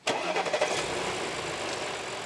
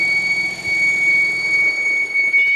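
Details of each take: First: 2013 Audi A6 C7, 136,000 km, after oil separator replacement: engine cranks and catches quickly, then settles into an even idle; the loud whistle from under the hood is gone, fixed by replacing the oil separator. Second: Whistle from the engine bay of a 2013 Audi A6 C7 with 136,000 km, engine running during diagnosis: a steady high-pitched whistle caused by a failed crankcase ventilation oil separator.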